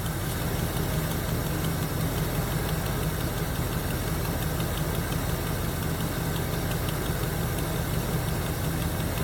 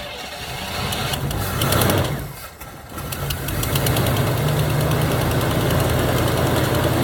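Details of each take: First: 1977 Chevy Camaro with a 305 V8, parked almost 20 years, first idle after revival: light quick ticking steady over an even idle from one lifter, possibly starting to free up. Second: 1977 Chevy Camaro base, 305 V8, parked almost 20 years, after refilling the carburetor float bowl and reconnecting the ground: cranks, stumbles briefly as it catches, then settles into an even, steady idle; normal start and idle.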